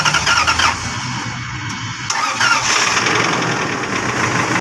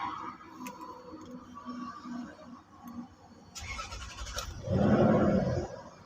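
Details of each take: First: Lexus 470 V8 cranking: harsh scraping grind with high screech only while starting, like something breaking inside, then it catches; failing starter motor, repaired. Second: Lexus 470 V8 after a starter repair that fixed a cracking, screeching noise on starting: short, clean crank, then the engine catches right away and settles with no grinding or starter squeal. Normal quick start.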